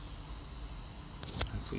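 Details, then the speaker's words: Line 6 Helix LT guitar processor with no guitar plugged in. Constant high-pitched buzz over a low hum coming purely from the unit's output. "all right so this helix scene goes LT is making a buzz like that"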